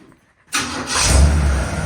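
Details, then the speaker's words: 1965 Chevrolet C10 pickup, build nearly finished, brakes just bled and no leaks, on a chilly day: brief quiet, then it fires at once and settles into a strong, even idle with no stumble; a clean, healthy start. "We were just bleeding the brakes, and it works really well. Everything works, no leaks. And man, listen to this thing fire up."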